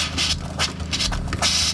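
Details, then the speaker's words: 2021 Aspen Trail LE 1950BH RV during de-winterization: irregular hissy bursts and sputters over a steady low pump hum as trapped air spurts from the faucet while antifreeze is flushed from the water lines. Normal air purging. "so that's going to spurt and spit while the air is coming out"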